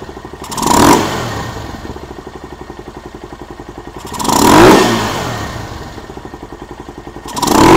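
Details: Venom SS3 KP Mini 150 after swapping to a Nibbi 26mm carburetor, jet changed and needle clip raised richer, before muffler fitted: steady idle thump with three quick clean throttle blips; good throttle response, normal running.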